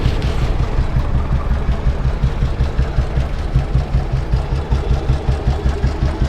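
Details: Royal Enfield CI Bullet 350 single, 2009 build, 2010 registration, heavy crank, after engine work, at idle: deep, even thump at a slow steady idle, no knocks or top-end tapping; normal idle.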